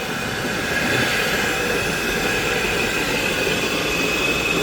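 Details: Mazda CX-5 driving at 80 km/h: steady high whine over road roar, rising with throttle from 40–60 km/h up; rear differential leaking oil, whine from differential, coupling also suspected.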